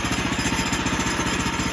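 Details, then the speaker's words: Woodland Mills sawmill small single-cylinder engine idling after start, throttle off and blade still: quick, steady chuffing beat, nothing odd, normal idle. "as you see it started and it's running. That is not moving."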